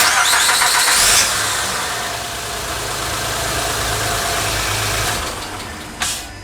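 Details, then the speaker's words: 2007 Honda Odyssey, J35A7 3.5L V6, brief first start right after timing belt, water pump, tensioner and pulleys replacement, before adding coolant: starter whirr, then catches and settles into a smooth, even idle with no ticking or knocking. "Sounds like an engine to me."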